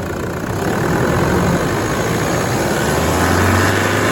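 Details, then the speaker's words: Brand new engine just installed after three days' work, first start at final inspection; slightly squeaky starter, then smooth even idle hum with steady low rumble, no ticks or rattles; normal idle. "how beautiful is that just humming away just like a new engine"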